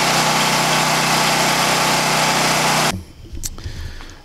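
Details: Harbor Freight Predator 9000 W generator at about 3,500–4,000 W house load plus the garage door opener: even, steady drone without hunting or bogging, then quiet; running healthy.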